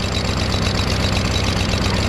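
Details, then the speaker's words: Craftsman push mower, Briggs 550EX engine, homemade choke flap removed, carb cleaned: low uneven chug that never reaches a crisp high rev; runs rough, carburetor suspected. "So I yanked the my homemade choke flap out. Still doesn't rev very high though."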